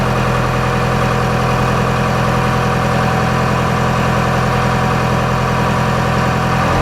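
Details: 4BT Cummins turbo diesel after oil change and washed air filter: steady, even idle clatter with no knocks or misses; sounds happier after maintenance.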